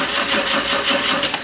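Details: 135 build on its first start after six months, fuel priming: fast steady starter whirring with no catch or firing; engine turns over but won't start yet, and the battery may be low. Cause suspected, not confirmed.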